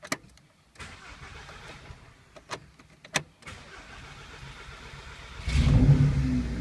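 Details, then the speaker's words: First start of a 2.0 TFSI engine after installing a cam follower kit (fuel pump lifter conversion to 2.0 TSI): the starter cranks briefly, then the engine catches and settles into an even idle with no knocks or ticking. A normal, clean start. "Okay, here we go. We're starting it up for the first time."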